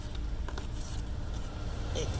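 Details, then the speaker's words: 2002 Ford Explorer blower motor that ran but gave no airflow from the vents at any setting: steady low whir with air moving freely, no rattle. Normal after clearing a debris blockage in the ducting behind the glovebox. "okay that's the blower going okay but nothing was flowing through any of the vents no matter what setting we put it on and now we have stuff flowing through the vents"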